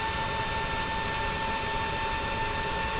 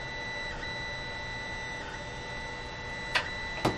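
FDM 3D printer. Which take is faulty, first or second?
second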